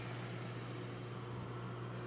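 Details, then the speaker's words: Microwave after repair (magnetron seat area, where saturated paint exposed metal, sanded and repainted), heating a cup of water for one minute: even low hum with steady fan drone, no crackling, short-circuit noise or smoke. Normal microwave running. "pode ver aí ó normal sem ruído sem aquele aquele aquele ruído de curto circuito saindo fumaça nada"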